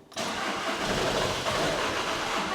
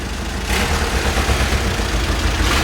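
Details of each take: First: VW Caddy TDI diesel, 490,000 miles, unused for months, on charging station with engine, glow plug and DPF lights on: starter spins it evenly for over two seconds but it never fires. Crank no start. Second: VW Caddy diesel, 490,000 miles: starts on its own and idles with steady clatter, no hunting or stumbling, background hiss. Normal diesel idle.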